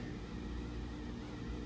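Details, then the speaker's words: New Trane (WaterFurnace-built) geothermal unit after five-minute startup delay: low, steady, even hum with no knocks or rattles; the compressor runs so quietly it is barely audible, healthy. "keep in mind this units got a compressor in it and we can barely hear it"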